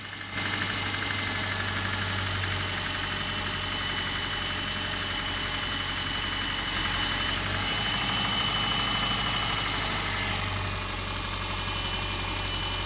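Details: Subaru boxer engine at cold idle after replacing worn original spark plugs: light, steady knock about four a second under a hissy top end; owner suspects piston slap, which disappears after 10–15 miles of driving.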